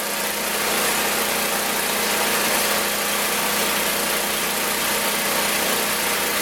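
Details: Magna air compressor, circa-1983 Briggs and Stratton engine, sat 5 years, first start on carburetor alone without carb cleaner: steady even speed with bright rattly exhaust bark; runs awesome, reaches 100 psi, owner may raise to 120.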